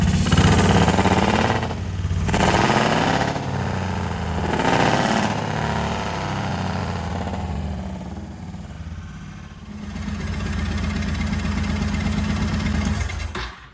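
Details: 1985 Honda VT1100 Shadow, first run in 25 years after carb work. V-twin catches, blips up a few times, then settles into an even, steady lumpy idle with no misses or knocks. Normal, healthy running.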